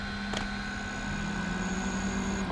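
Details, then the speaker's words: Inverter pushed toward 1500 W: a steady electrical buzz with thin high whines, then it shuts off. Overload noise just before tripping out. "oh that's bad oh nope it just died it does not like that"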